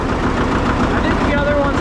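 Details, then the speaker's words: Antique tractor just started using the decompression pedal after building oil pressure, not yet warmed up: slow, even low thumping about ten beats a second with no misses or rattles; idles better than the owner's other tractor; normal idle. "It's a pretty dang good running tractor. Kind of hear it. It idles a a lot better than that other one over there."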